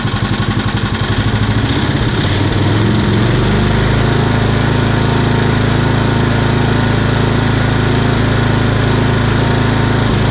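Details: Old Scag hydrostatic walk-behind mower engine with a new carburetor and new ignition coil, throttle just off idle: catches, roughens briefly, then settles into a steady, even beat, running smoothly; normal running.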